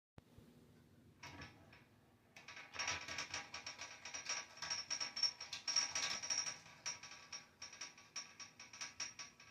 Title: Broiler heater banging noise.. WTF ,😧😦😨 what's wrong with this broiler heater.???